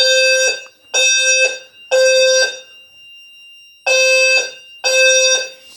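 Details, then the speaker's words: Home fire alarm system test after smoke set off a detector: loud steady tone beeps in groups of three with pauses, normal evacuation pattern; annunciator heard loud, furnace shut down via relay. "can actually hear the annunciator pretty loud right here"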